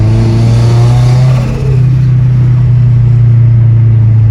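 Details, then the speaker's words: 2013 Scion FRS with newly built replacement engine (stock engine's head gasket failed), on test drive at about 5 psi boost, kept under 3,000-4,000 rpm during break-in: deep, even drone pulling smoothly under load, no knocks, ticks or misses; healthy. "Sounds so good. Doing like 5 pounds boost, maybe tops, not too much."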